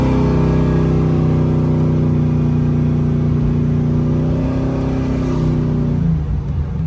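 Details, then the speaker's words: 1980 Chevy Malibu with a 540 cubic inch big block Chevy and Holley EFI, 4.11 gears, 3,200 rpm at 60 mph; deep, even V8 roar that rises smoothly with revs, no knocks or misses, little cab drone. Normal acceleration. "Sounds great. And it's not a lot of drone in the cab, honestly."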